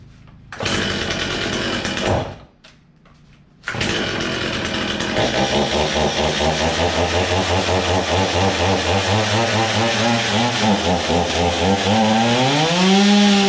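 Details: Old, low-hour Stihl chainsaw on its first start: fires briefly, dies, then catches and settles into a steady buzzing run before revving up smoothly. It runs fine once the carburetor has primed.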